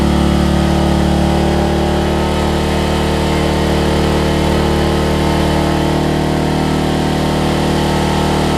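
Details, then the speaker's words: Homelite LR4400 generator after carburetor and kill switch replacement: deep, even single-cylinder thrum at constant speed with no misses, surging or knocks; runs really well, though the kill switch ground still needs sorting. "It runs really, really good, so that was nice to see."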